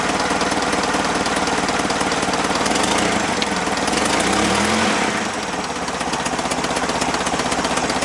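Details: Clark C500-45 propane forklift after a tune-up with new spark plugs, new plug wires, a new distributor cap and the old rotor: steady, even firing at a settled idle with no misses or knocks. It runs properly.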